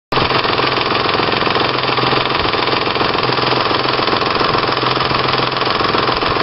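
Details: 1996 Ford Probe GT 2.5 L 24V: fast, loud ticking and slapping from the front of the engine, steady at idle; owner suspects a loose timing belt letting a pulley vibrate, unconfirmed until replacement.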